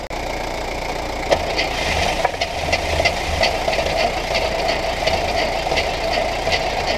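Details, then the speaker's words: 1968 Buick Skylark Custom abandoned since the 1980s: steady starter cranking with no firing at all; about 1.5 to 2 liters of gas disappeared from the can, so it is suspected to be flooded, not confirmed. "so we're having a few issues right now it's not firing at all"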